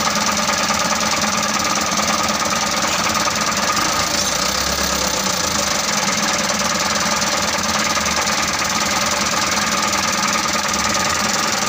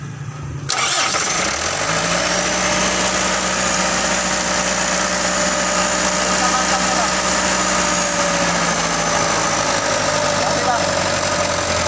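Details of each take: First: Mitsubishi Canter 125 diesel that was hard to start, after bleeding and adjusting the injection pump: steady, gravelly diesel clatter at an even idle, no misfires or stalling; now runs, if a little rough. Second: Mitsubishi Canter 125 diesel truck that was hard to start: catches abruptly, runs rough and uneven, speed sagging; will not hold idle, injection pump suspected, pump timing to be set.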